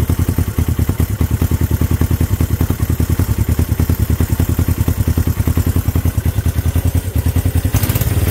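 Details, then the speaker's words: Honda CB350 twin, first start in 13 years, choke off: even, steady thump at about 200 beats a minute, both cylinders firing cleanly at idle. "now firing on both cylinders [Music] i gotta replace those points but they are they are working firing on both cylinders right now guys running on both with a choke off this thing idling guys"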